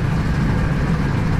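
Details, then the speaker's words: 1980s Massey Ferguson 850 combine harvester, Perkins diesel, 4,600 hours: even, steady low diesel idle with no knock, miss or rattle; runs good, sounds like new. "Runs good. It sounds Oh, it sounds like brand new."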